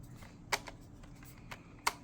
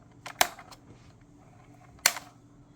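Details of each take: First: 2011–2014 Chrysler 300 original Mopar turn signal/steering angle switch, with the Standard Motor Products (CBS2149) replacement now installed in the car. A few soft, crisp clicks as the stalk moves, no grinding; quiet and silky, and the replacement functions just like it. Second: 2011–2014 Chrysler 300 replacement turn signal/steering angle sensor switch, sold as genuine Mopar, is worked by the stalk. Three hard, sharp, irregular snaps; harsh and notchy compared with the smooth original, so it is going back.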